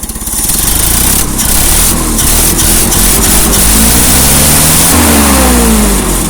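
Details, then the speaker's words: Old carbureted engine (previously rebuilt) after a winter cold start, carburetor now hot with the starting aid removed: it catches, revs cleanly and settles with no stumble or misfire. Normal revving. "once you've gotten the carburetor all nice and hot and it's actually vaporizing fuel you can go ahead and take that away and it'll just run again"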